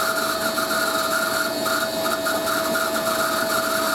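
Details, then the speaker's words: Hoover A3060 Electronic 1100 washing machine, Fast Coloureds 60°C programme, spin: steady high squeal with warbling upper note over motor drone; dry motor bearing, WD-40 dries out, needs grease. "Bloody annoys me, that sound does. Can't be helped though. Just because the motor bearing, once I mean WD-40 doesn't work because it dries up."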